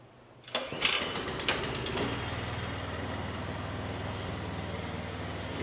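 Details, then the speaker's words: Snowblower started briefly after an auger tension adjustment, to check the augers don't spin. Pull-start catches after a couple of coughs, then a steady, even idle with no knocks: normal running. "So we're going to go ahead and start it up real quick. I'm not going to run it very long. I just want to make sure that it is not spinning when we start it."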